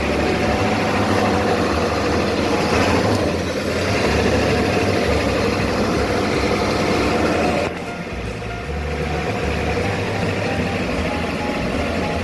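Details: Ford 7.3 Powerstroke turbo diesel after a no-start diagnosis centred on the injector control circuit and fuse no. 30: steady, even diesel idle clatter with no misses. Running normally.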